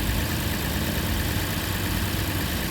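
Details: 2006 Lexus IS250 AWD, running after a no-start, no-crank fix with security light still flashing: smooth, even idle, steady low rumble, no misses, knocks or stumbles; normal idle.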